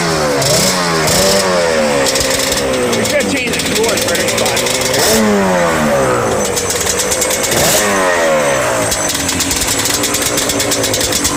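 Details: Yamaha Banshee 350, after sitting about 5 years, following a TORS delete, carb clean and rebuild and new throttle cable: crisp, crackling two-stroke note climbing and dropping cleanly with each throttle blip; runs strong and even.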